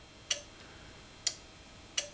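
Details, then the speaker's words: Mazda MX5, early car with flap-type airflow meter: the fuel pump relay gives sharp single clicks at irregular intervals as it is triggered, such as by moving the flap; relay working normally. "we can hear the fuel pump relay clicking of course we can also operate the fuel pump relay by jumping the diagnostic connector"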